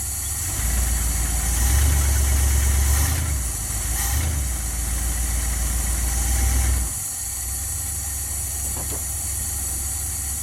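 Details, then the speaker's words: 1977 Dodge van 318 two-barrel, first start after rebuild for mileage and horsepower, engine cleaned: smooth, quiet, even idle settling lower, no knocks or ticks; normal idle. "sounds good guys what do you think quiet as can be"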